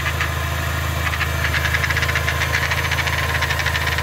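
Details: 2004 Mini Cooper 2.0 four-cylinder manual that jumps out of third gear: uneven light ticking and rattle over a steady idle hum. Transmission noise suspected, not confirmed.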